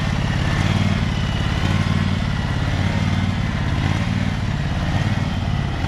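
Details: Husqvarna 2346XLS lawn tractor with the PTO engaged, after rust-bound brake and gas pedals were freed with lubricant: steady, low drone with an even beat and no knocks or grinding; normal running.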